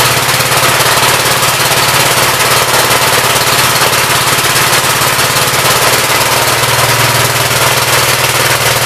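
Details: 1959 Gravely LI single-cylinder engine with 20-over piston, oil had been mostly water; quick even putter at steady speed, no knocks or stumbles, awesome oil pressure, running healthy.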